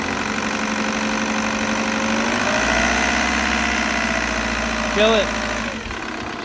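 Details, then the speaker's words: 2002 VW Jetta 1.9 TDI diesel started after EGR valve cleaning and reinstall: catches and settles into an even diesel clatter, steady rhythm, no misses; running good, normal healthy idle. "running good nice"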